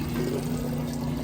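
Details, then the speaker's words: Whirlpool Estate super-capacity top-load washer on heavy normal cycle, large load, moving from wash into neutral drain before rinse: steady low pump hum under rushing water, tub emptying quickly, drain pump working normally. "kind of where we're at there on the timer here in just a sec it's going to kick over start draining give it just a second here there it goes you can hear it"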